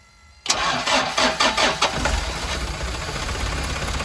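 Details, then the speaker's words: Turbo diesel truck cold start, running on one battery instead of the two it should take, coolant about half a quart low and topped up: brief crank, then it catches at once into a steady, even clatter with no misses. A clean, normal start. "It's only got one battery instead of two, but let's see if it'll fire up. Yeah, that's a good sound."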